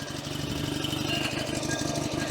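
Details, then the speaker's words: Invacar two-stroke on jump start, weak 10 V battery, first start in a long time after new throttle cable, in gear: putters at a steady idle with an even beat and no misses; running healthily, throttle slightly sticky. "Oh, she's in gear. Oh, that's the sound I've missed."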